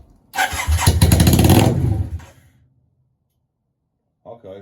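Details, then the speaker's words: Yamaha Virago 535 start attempt after checking carburetor settings: fires instantly and runs straight up to a screaming high rev for about two seconds, then is shut off; runaway revs, owner suspects a fuel-related setup fault. "oh well that's a good sign it wasn't a good sign that it just R straight to the moon but it fired straight up"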